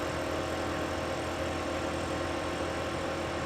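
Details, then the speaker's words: New ICECO JP40 portable fridge-freezer, compressor kicking on after lid opened: low, steady, whisper-quiet hum with no knocks or rattles, running smoothly. "As we had the cooler open, I heard the condenser kick on. I want you to listen to this, how whisper quiet it is."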